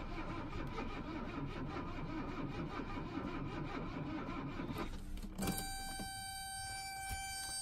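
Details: 1982 Mercedes 300SD turbo diesel, in near-freezing weather after cracking and retightening all injectors: steady cranking churn for about five seconds that never catches, then only a fan hum; turns over but won't start.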